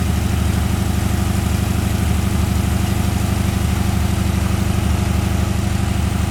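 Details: 1981 Ford Mustang 5.0 V8, revived after sitting, with truck mufflers and no radiator fan fitted yet: steady, even, quiet idle burble with no knocks or misses, described as sounding really good. A healthy idle.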